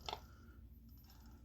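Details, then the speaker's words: Kingsong S18 electric unicycle after a tyre change: a sharp click over a low hum, only with the rider's weight on the wheel and only in the forward direction; a bearing or FET is suspected, and an axle spacer was ruled out after teardown. "i found the spot where it does it and the kind of mark is almost down but there's nothing rubbing here but you can hear that noise it only happens when i have my weight on the wheel i wonder if maybe one of the ball bearings is"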